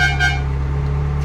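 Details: 1994 Euro-spec Ferrari F355 GTS, 80,000 miles, idling during an inspection: short, steady two-tone horn blast, clear and even with no warble or rasp; horn working normally.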